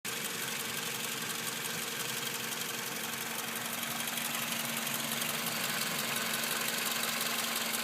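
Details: 2005 Toyota Camry four-cylinder at a steady idle with a light, quick rattle about three times a second; owner wonders about a bad water pump, source not confirmed.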